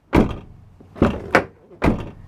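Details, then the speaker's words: Late-2015 Peugeot Partner van, 2,000 miles, front door shut: dull thunk then brief loose buzzing rattle inside the door, caused by loose window regulator mechanism bolts; fix is removing the door card and Loctiting the bolts. "What it is quite simply is the window mechanism inside the door here has various bolts and those bolts become loose."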